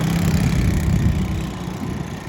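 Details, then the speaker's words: Apollo Blazer 9 125cc ATV, revived after years of neglect, no-start and bogging: steady, even single-cylinder idle with smooth low beat, no misses, knocks or hunting; normal idle. "it's running as it should be part of the two big TVs that were brought to us"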